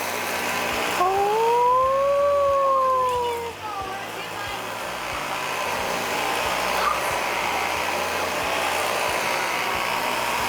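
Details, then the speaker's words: Discarded Dyson vacuum with brush not spinning and poor suction, after repair: motor spins up with a rising whine, then settles into a steady, even airflow rush; vacuum now sucks properly. "all right Laney we have demonstrated that the vacuum now indeed sucks"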